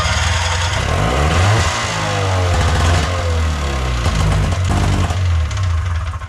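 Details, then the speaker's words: Old snowmachine two-stroke after new battery and fuel filter, started without priming: runs rough and uneven, revs sagging and surging without settling; idle screw opened about five turns, far too open. "starting off without any priming that's a huge Improvement yeah but the idle's not working but it's it's really just"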